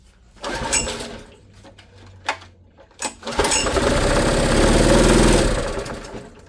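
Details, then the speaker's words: Honda EB1400X generator, bought about a year ago, runs but won't put out power; on choke, then half and no choke, it catches after tries but labours at low, uneven revs, never reaching speed, bogging under load; cause unconfirmed. "Yeah, not very good, huh? Struggling. Let's run it a minute, though. Half choke. No choke. Yeah, it's just too much load on it."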